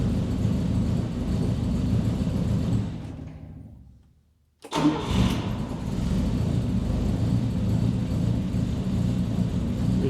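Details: Volvo 164 barn find stored since the 1990s, first start after replacing the broken starter-to-coil 12 V jump wire: stumbles and dies, restarts, holds slightly uneven idle; runs but not smooth yet.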